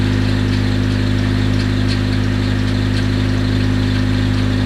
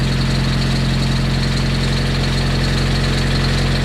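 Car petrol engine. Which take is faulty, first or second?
first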